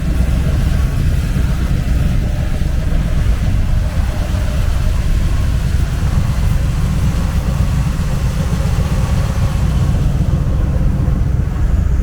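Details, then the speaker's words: 1977 C3 Corvette, original survivor car, first start of the year: deep even V8 engine and exhaust rumble holding steady at idle, no ticks, misses or rattles; healthy engine idling smoothly. "which you can see a little bit more of this Corvette and hear the cool sound of the engine and the exhaust and making that mid-70s kind of cool rumble."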